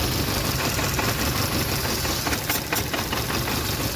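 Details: VW Polo Vivo 1.4 CLP engine at idle stumbling unevenly with irregular dips and shakes: a random/multiple-cylinder misfire traced to a heat-damaged, broken PCV breather pipe.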